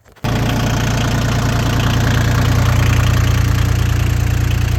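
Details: Yanmar YM2010D 4x4 diesel compact tractor with new loader, filters recently replaced, no leaks or smoke; starts at once and settles into steady, even low diesel clatter at idle, no misses or knocks; normal healthy idle.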